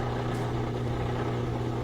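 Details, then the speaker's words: Whirlpool washer after clearing its drain and reassembly, no leaks: steady low hum with no knocks or grinding as the drain pump spins dry on air, changing pitch; normal drain pump running dry. "Now we hear the dry sump spinning, but it's just hitting air, so the frequency changes, different sound."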